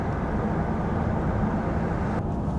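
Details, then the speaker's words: Jaguar XK8 on a road test after MOT repairs, window down to listen at speed: steady tyre and road roar with no hum, growl, grinding or scraping, so the wheel bearings and brakes sound healthy. "Just drop the window so I can listen for any bearings. Brake noise."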